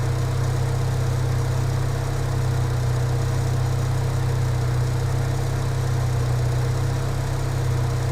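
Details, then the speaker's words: Engine idling steady and even after a throttle body check and cleaning, with no misses, knocks or hunting; idle now sounds normal. "The idle sounds good to me now."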